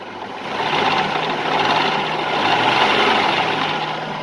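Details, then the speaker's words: Nissan VG33E engine idling with a busy light clattering over a steady hum, which the owner calls cheap valve train rattle; heard while diagnosing an alternator that isn't charging. "hear how it's rattling? It's a garbage engine. I wouldn't recommend it."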